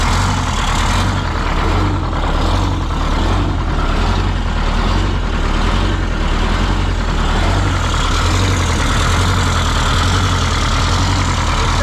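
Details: 1977 MCI coach with 8V71N Detroit Diesel, just started after freeing three stuck injectors that caused a runaway: deep steady idle, even rumble, no knocks or surging; about 50 psi oil pressure, still cold, warming up.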